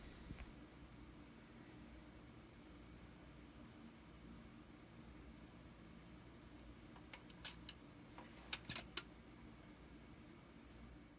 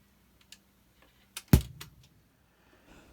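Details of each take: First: Dual 1225 turntable after replacing failed .068 µF 250 V capacitor: steady low room hum with crisp switch clicks as it starts and stops, no longer any pop or thump from the speakers. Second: Dual 1225 turntable: a single loud deep pop thumps through the speakers as it starts or stops. The cause is a failed .068µF 250V capacitor at the on/off switch, and replacing it solved the problem.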